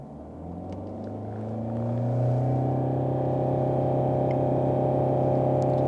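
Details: 2016 Mercedes-Benz E-Class W213, 654 diesel, late shifting and check-engine light, after turbocharger replacement (old guide vanes stuck and squeaked): smooth rising rev, no whistle, flutter or rattle, holds steady; boost matches target, turbo healthy.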